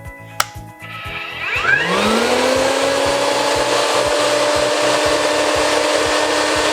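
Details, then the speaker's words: Rainbow E2 Gold two-speed vacuum with a brushless two-step motor: rising whine that settles to a steady, even, strong tone within two seconds. Normal vacuum motor startup. "Man, that sounds like a nice, powerful, strong Rainbow vacuum cleaner."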